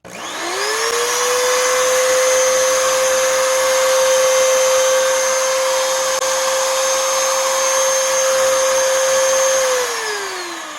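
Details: Oreck XL2800 vacuum motor, about 20 years old, after bearing replacement and carbon brush seating with a seating stone: spins up to a clean, steady high whine, much higher speed than before, no rattle or scraping, winds down smoothly.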